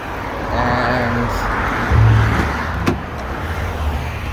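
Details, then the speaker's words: Holden Calais at normal operating temperature after water pump change and coolant system bleeding for overheating: smooth, low, even idle with a brief rev at about two seconds, no knocks or misses; temperature not rising much, running well. "it looks like it's at normal operating temperature. If I rev it up, it doesn't seem to increase too much, so that means it's working pretty well."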